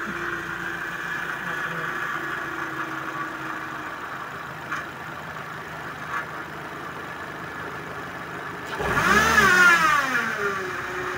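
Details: Suzuki Vitara during power steering fluid change for foaming, with very dirty strainer: engine idles evenly, then a short rev at full steering lock brings no pump whine or groan, normal.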